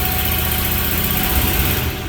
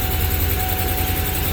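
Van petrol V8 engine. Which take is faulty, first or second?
second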